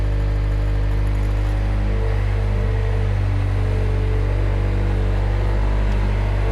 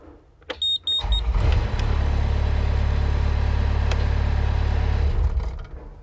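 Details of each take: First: Mustang loader's diesel engine after the seatbelt micro safety switch was bypassed (seatbelt refitted but unplugged): deep, steady, even drone with no knocks or misses. Not a perfect fix, but it works. Normal running. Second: Mustang's engine during a repair attempt on the seatbelt safety switch circuit: the engine catches and runs evenly for about four seconds, then dies abruptly. The attempt failed, and a fault inside the switch itself is suspected. Engine cuts out.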